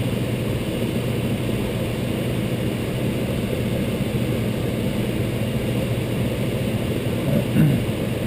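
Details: Intertherm electric furnace on a no-heat call (sequencer suspected), power on with thermostat at max: smooth steady blower hum, no knocks, heat strips burning off dust, legs at about 20–21 amps after a click brings on more strips; normal operation.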